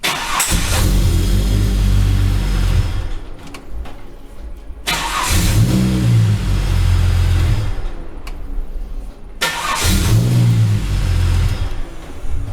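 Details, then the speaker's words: Holden Commodore L67 that is hard to start, especially in the morning, with a fuel regulator fault code: three long cranking bursts at about four turns a second, never catching; faulty fuel pressure regulator suspected. "okay so anyway hard to start right"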